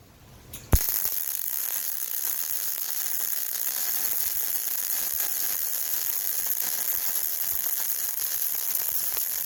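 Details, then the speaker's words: Yeswelder MIG-Pro250 with .035 wire welding a long bead on beveled 5/16 scrap steel plate: a steady frying arc sizzle with occasional sharp pops from rust impurities, most likely porosity holes in the bead. "so every now you turn every now and then you'll hear a little bit of a pop sound and that is me getting into a little bit of the rust so it's impurities and that pop is most likely a little hole in the bead called porosity"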